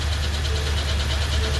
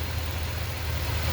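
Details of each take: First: 2020 Ford F250 7.3L with a Gen 1 10-speed automatic, in drive with the brake held: a deep drone with a rough metallic rub that stops on the throttle or in park. Transmission pump chain grinding. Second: 2020 Ford F250 Super Duty 7.3, with the defective 10-speed transmission, in park: smooth, even low rumble with no grinding or scraping; normal idle, noise occurs only in drive with brake applied.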